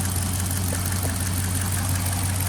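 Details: Dodge Charger AWD Hemi V8 (accident history), hot idle with a steady low hum and a couple of faint light ticks, heard after a transmission part was retorqued to fix a passenger-side rattle; the ticks weren't the rattle being chased.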